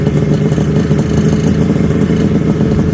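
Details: 1974 Kawasaki H2 750 two-stroke triple, drag-style street build, revived after 34 years stored, good compression: kick-started with no throttle, it catches at once into a crisp, even burble and holds a steady idle; healthy.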